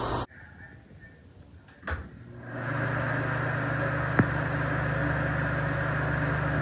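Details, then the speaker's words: Exhaust fan after reassembly, with the stripped fan wheel wedged onto the shaft with a zip tie so it turns one for one: a click, then a smooth, steady low hum with no rattle or scraping. "put the keeper ring on there and try it out super quiet super strong done"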